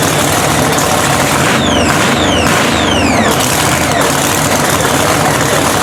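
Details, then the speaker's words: Blown 3,500 HP Hemi drag truck, rebuilt overnight after a 3-second pass, started in neutral. Fires straight into a loud, raw, steady blower idle with a few squealing sweeps early; no misfire; oil pressure coming up. "It fucking runs! They restarted. worked off right away."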